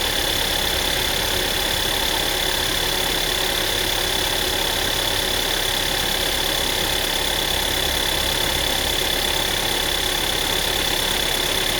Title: Tiguan MY2009 rattling sound from engine